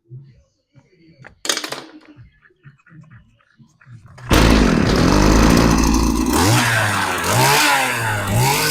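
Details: STIHL hedge trimmer with a running issue, on fresh clean fuel, primed and started for carburetor adjustment: fires and runs loud, revving unevenly and surging instead of holding steady; fuel mixture suspect, needle to be adjusted.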